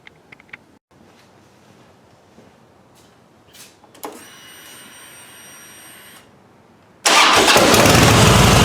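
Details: 2009 Harley-Davidson Fatboy Softail V-twin started after an oil change to check for leaks: quiet, then the starter catches and it settles into a loud, steady lumpy idle with no odd knocks.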